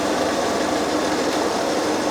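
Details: Citroen XM 3.0 24V idling on a Sun engine analyzer before a cylinder balance test: steady, even hum with no knocks, stumbles or hunting; idle settled.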